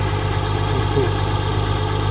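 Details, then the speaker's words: Nissan R35 GT-R after gearbox service and ETS clutch adjustment, new header tank, running cold: steady smooth low rumble, even firing, no knocks or ticks; normal idle. "Guys, as you can see, the GTR is running. The engine hasn't blown up already, you know, but it's running. It's sounding mint"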